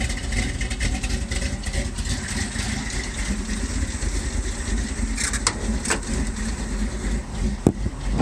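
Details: 1978 Ford F-150, 351M/400 V8, new Holley 4160 with electric choke, Edelbrock Performer intake, Hedman headers, Flowmaster duals, C6 automatic, cold start: lumpy, uneven idle with pops, smoothing out when warm; rich from choke releasing late, fixed by adjusting the choke to release sooner.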